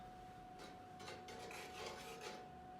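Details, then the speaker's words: Casablanca craftsman-style ceiling fan at low speed with rough, irregular rasping scrapes over a steady motor hum, before repair; the noise occurs in either direction and goes away at high speed, and a blade seems heavy and wobbles a lot. "so we're we are having some scraping so we're going to try to take a look at what could be happening and see if uh it's an easy fix so stay tuned"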